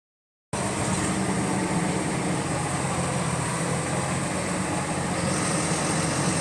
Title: Repetitive Clicking Noise In Sync With Engine Speed | GAL WVL358 On Bus Route 486 Part 1